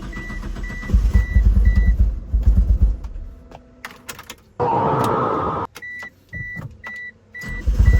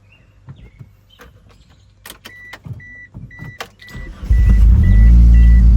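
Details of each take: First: 2G Mitsubishi Eclipse (DSM): lumpy uneven idle with pulsing thump from misfire, cylinders 2 and 3 not firing; plug-boot pulling test showed no change on those cylinders. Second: 2G DSM Eclipse after fixing cylinders 2 and 3 misfire by replacing a faulty plastic module: chimes and clicks, engine catches and settles into a steady, even idle with no stumble; normal running.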